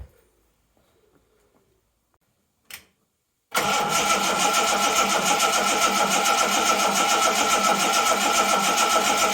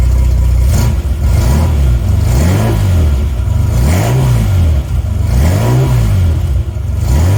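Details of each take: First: 1980 Reliant Scimitar GTE SE6A, stood about a month, battery just reconnected: starter spins the engine steadily at about three and a half beats a second for seven seconds, never catches. Crank no start from fuel starvation due to a leaking fuel line; spark check next. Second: 1980 Reliant Scimitar GTE SE6A after getting it restarted, fuel lines still to be replaced: deep smooth exhaust note rising and falling through several clean throttle blips, no knocks or misses; engine sounds healthy.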